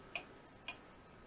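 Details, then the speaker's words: Restored Seth Thomas clock movement running on the bench out of its case: crisp, even ticks about 110 a minute, strong and regular motion; normal ticking. "so anyway there it is it's actually running so far so good doing real good got strong motion"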